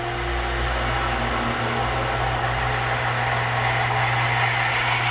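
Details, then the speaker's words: New replacement jet pump for the outside water supply, installed under the boat house after the old pump froze, refilled with water to prime: a steady, even motor hum with water rush and no surging or cavitation. It picked up prime and runs normally. "Picked up the prime that time. That's awesome."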